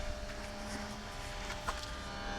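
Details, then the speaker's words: Repaired Mercedes 600 throttle bodies connected to the vehicle with ignition on: a faint, steady electric buzz as the throttle bodies learn, which is normal adaptation with the E-gas module. "first thing you hear is the buzzing noise that's learning"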